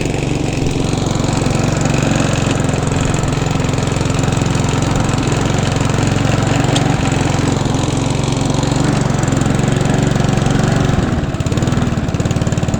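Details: Hand-push petrol mower converted to self-propelled with another mower's gearbox and drive, freshly serviced: steady, busy small-engine chatter at even speed, no stumbling or surging; normal running.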